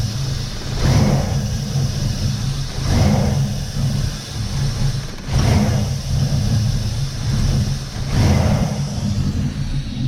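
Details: 1999 Chevy Silverado 1500 V8, runs rough when cold, during intake gasket replacement: revs surge up and fall back about every two seconds instead of holding steady, erratic running. The owner wonders whether the mass airflow sensor is involved; cause unconfirmed.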